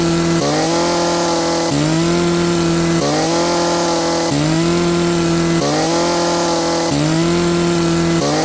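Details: Poulan 3416 chainsaw after fitting a new Hipa C1M-W26 carburetor for hard starting and stalling: revs up and bogs slightly into each cut about every 1.3 seconds, then recovers cleanly. Normal running under load.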